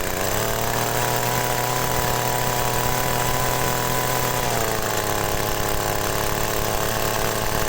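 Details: Yamagoyo-type agricultural sprayer engine, hard to start when cold, running on a new spark plug: steady buzzing small two-stroke note, smooth and even with slight pitch dip midway; engine running normally.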